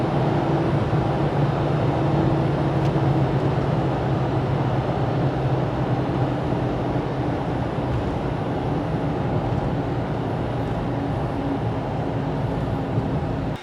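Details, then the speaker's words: Toyota FJ Cruiser driving with a bad front passenger-side wheel bearing: steady low hum and groan under road noise; both front bearings replaced and spacers removed. "so we have that humming noise which is pretty weird"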